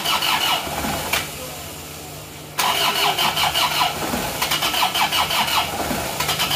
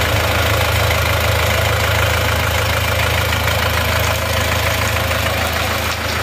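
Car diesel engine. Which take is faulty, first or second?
first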